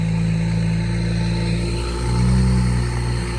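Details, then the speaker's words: BMW 535xi E61 wagon, exhaust open with gaskets removed after a third gasket failure: loud, deep, raw open-exhaust drone swelling with a brief rev. "Let's see how it sounds without those gaskets on them. Is that loud?"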